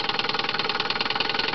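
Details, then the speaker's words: 1963 Johnson 5.5hp Seahorse twin-cylinder two-stroke outboard on a 1978 Sea King 12' boat, idling: quick, even buzzing pulses of about 17 a second with a crisp, regular beat, purring like a sewing machine; normal healthy idle. "And behind me in the back you can hear purring away like a sewing machine the engine here."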